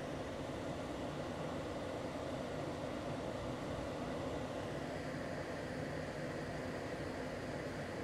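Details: LG portable air conditioner with the compressor at maximum and the fan on F3 maximum, about 59 dB: even rushing airflow over a low steady drone with no rattles or squeals. This is normal compressor and fan running.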